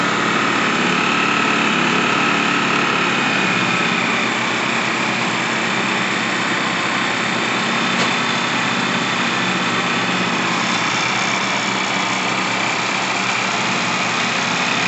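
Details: Generac GP1200i inverter generator (model G0076710) after a carburetor cleaning, rebuild and tune-up: the small engine holds a steady, even buzz with no surging, misses or knocking, running smoothly.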